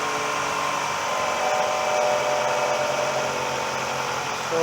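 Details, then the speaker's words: Toyota 2.4-liter 2AZ-FE four-cylinder started after valve cover gasket replacement, cracked hose taped: steady, even idle hum with no knocks or ticks, settling smoothly after the cold start; healthy. "We've cleaned it up nice with brake cleaner, and we're just going to go start it up, and we'll check all around the valve cover for any leaks."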